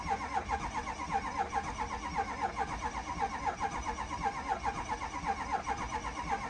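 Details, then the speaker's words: Neglected, long-sitting Ford 6.0 Powerstroke diesel on weak batteries: slow cranking about one turn per second with no firing; later started once oil pressure built, owner suspects low oil pressure kept it from running. "The batteries don't sound real promising."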